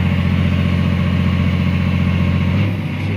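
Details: Caterpillar 345 excavator diesel under hydraulic load after ECM replacement (error 36-268-2, shorted sensor); deep even drone holding steady with only a brief dip, no misses or hunting; rpm not dropping to 500–600, power and hydraulic pressure good.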